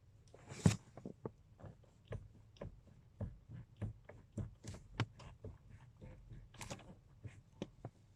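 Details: Toyota Hilux Surf 215 / Land Cruiser Prado 120; irregular dull knocks about two a second in a quiet cabin as the steering wheel is worked. Steering column knock.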